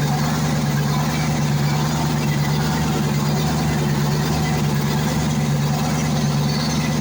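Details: YaMZ-238 diesel after full overhaul; deep, steady idle with even low throb and no knocks, misses or rattles; normal idle.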